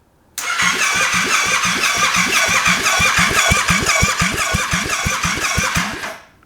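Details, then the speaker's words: Honda Grom with 700cc Yamaha FZ-07 engine, FZ harness spliced to Honda ignition, first attempt before fuel: steady, even cranking at about three turns a second with a crisp, whirring starter and no catches; normal starter cranking. "So cool, got that right, sounds good."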